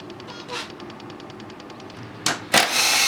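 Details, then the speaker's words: Two-stroke with oil injection, engine off, oil pump test: light regular ticking about three to four clicks a second, pump delivering oil normally. "Bon, bah, test de la pompe à huile. Hein. Ça donne de l'huile. On entend encore."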